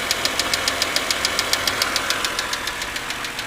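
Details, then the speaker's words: 2006 BMW 330i with an intermittent noise always present at startup and sometimes lasting whole trips, loudest on the driver's side toward the front: sharp, even ticking at about 105 per minute over the engine hum; source not yet identified. "it always makes this noise at start up as soon as the engine starts sometimes it goes away after a few revolutions because you can see it's uh sounds pretty serious or like potentially pretty serious"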